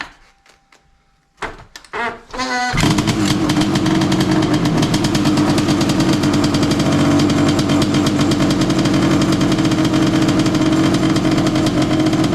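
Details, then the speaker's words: Honda CR500 two-stroke Schwinn trike, cold start with choke on after a few kicks: heavy lumpy boggy idle that won't clear, flooded with gas from earlier no-spark start attempts. "It was so full of gas from me trying to start it with the no spark issue. Um, it wasn't clearing out. Wasn't clearing out."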